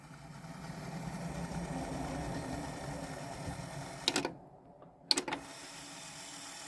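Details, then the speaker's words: Nakamichi BX-150 cassette deck from a hoarder house, final test: a smooth, even tape whir in fast forward with no chattering like before, plus button clunks. The remaining noise is the cassette itself. Normal fast forward. "It's not making any chattering noises like it was before. That noise you hear is just the cassette itself."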